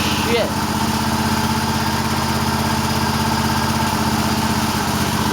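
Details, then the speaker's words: Cub Cadet tractor missing on the right cylinder only at idle and fine when revved: uneven idle with irregular pops about four a second; owner suspects dirt in the carburetor, a bad spark plug or arcing plug wires. "it popping a little bit, I don't know. Might be a speck of dirt in the carburetor, but as soon as you rev it up, it's fine."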